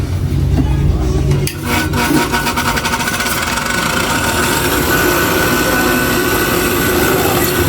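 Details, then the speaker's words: Sewing machine motor that suddenly got loud, tested on the bench after disassembly: spins up then holds a steady hum with a dry, gritty rasp; loose bearing housing rattling, to be oiled through the oil hole. "Dito po, pagka may tunog siya na ganyan, ayan, parang garalgan. Pwede nyo lang isan dito, itong butas na to."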